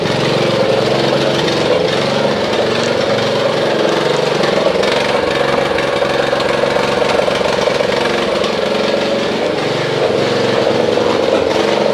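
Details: Snapper RER Comet mower, sat about a year, plug and air filter checked, choke off, before fuel additive treatment: small engine with choppy, uneven beat that never smooths over twelve seconds; rough running, old fuel suspected, not confirmed.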